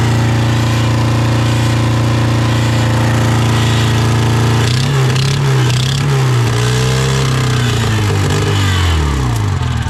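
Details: Honda Civic sitting about 10 years with a cylinder misfire, running low on fuel; steady idle sags and hunts, revs wandering before fading out: rough running.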